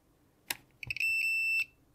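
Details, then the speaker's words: Continuity tester gives a few short high beeps then a steady half-second tone, confirming good connection while checking pin one orientation of a flash chip adapter on a cheap voice recorder module that failed to talk to the chip. "let's double check the continuity because it may be that it's not the right way around"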